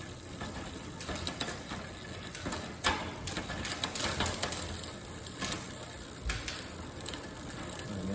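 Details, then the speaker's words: Specialized Expedition bike, 8-speed rear cassette: barrel adjuster turned, chain clicks and ratchets unevenly with hesitant, clattery rough shifts; ghost shifting and skip mostly under load when ridden, traced to a worn cassette. "See how it's hesitating going down. So now I'm thinking it may be something a little more complicated if I just turn the barrel adjuster back the other way so I can have it hop down more cleanly."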